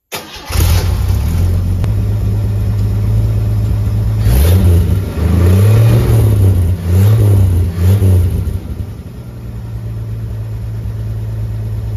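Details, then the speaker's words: Chevy 250 inline-six, after finding TDC and fitting plug wires; it catches, takes a couple of blips, then settles into an even, mellow idle with no misses or knocks. Healthy normal idle. "I think it sounds pretty cool smooth little inline six it really reminds me of uh the old 258 AMC engines"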